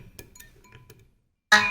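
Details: Shruti box opened for G-reed buzz repair; faint clicks and a pause, then one clear steady reed note without buzz or rattle. This reed is normal.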